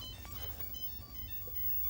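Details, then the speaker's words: 1984 Dyna Electronics Royal Casino after replacing the LM380N amplifier chip blown by a 110V short and hooking up another speaker in place of the blown one: clean jingles and tones over faint hum; sound output working. "yeah replaced the LM 380n amplifier then as I said I didn't have sound still and I was like oh I forgot about the speaker not having ohms so yeah hooked up another speaker and as you can hear we got"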